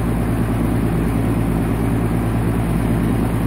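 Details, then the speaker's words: Outdoor condenser unit, badge missing, believed Nordyne: condenser fan running, steady low hum as the compressor tries to start but never spins up; locked compressor rotor, technician suspects a bad capacitor. "I heard the compressor try to start, so it's probably just a bad capacitor."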